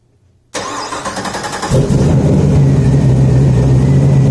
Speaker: This coolant temp sensor here doesn't seem to be reading appropriately, so I need to go buy another one and throw that in to see if this is the issue.